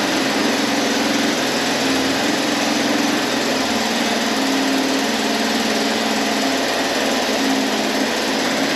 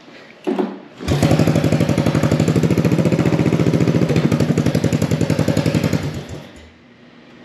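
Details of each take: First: Abandoned 1983 Honda Big Red three-wheeler, carb cleaned, first start with the choke held closed in neutral: a loud, flat, strained single-cylinder drone with little pulse and no smoke. It sounds choked, and the exhaust or muffler seems plugged. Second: 1983 Honda Big Red three-wheeler after debris came out of the restricted exhaust: crisp, even single-cylinder pops with a free-flowing bark, as it is supposed to sound.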